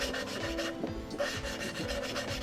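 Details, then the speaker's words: Cheap 440 engine build, hand-lapping valves: rhythmic back-and-forth gritty rasping with short quieter gaps as the valve turns on its seat, then it goes quiet once the compound has ground away, leaving metal lapping on metal. "That means all the compound that was on the valve seat has ground up and essentially moved away, and you're left down to the two pieces of metal lapping themselves."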